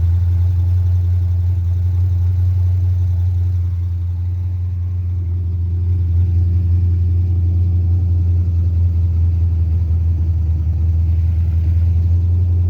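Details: 5.3 LS swapped into a Mustang with a carburetor conversion and MSD ignition: a steady drone held well above normal idle with no dip or hunting; fast idle, suspected carburetor, timing or vacuum leak, unconfirmed.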